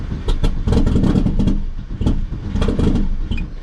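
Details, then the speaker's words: Long-sitting 600 hp Phase 5 2005 Chevy Cobalt race car with fuel leaks, just started with big smoke. Lumpy, uneven running with irregular pops and surges, barely holding on. Rough running; owner suspects a bad tune, settings unknown. "it does have a horrible tune in it, so that's the problem. I don't know what it's set at right now."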